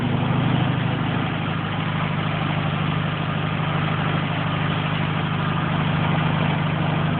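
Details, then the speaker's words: Air-cooled VW Beetle, which previously would not idle without holding the throttle: steady fast idle with an even low rumble and no misses; the choke is working, and the owner fears it may die on throttle. "But yeah, the choke is working right now, which I'm happy about. I'm gonna step on the gas, it might die, I'm not sure because it's still choking."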